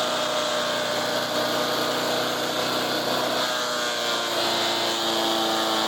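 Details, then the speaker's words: Resurrected direct-drive wood chipper, 90s engine with adapted 50s carburetor, warmed up: loud, steady, even drone with bright buzzy top, no misses or surging; runs normally but owner couldn't make it quieter. "so I got it running pretty good but unfortunately I could not make that damn thing quieter"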